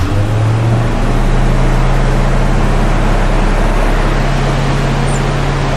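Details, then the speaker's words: 1965 Ford Mustang V8 with Edelbrock carburetor, previously idling roughly on few cylinders, after carb fix with no adjustments yet: steady low rumble at faster, even idle with no stumble or hunting; normal idle. "that's not even any adjustments guys that's just idling so we've picked up quite a bit of idle speed which fig is because we giving it a lot more gas we double the amount of gas going down it"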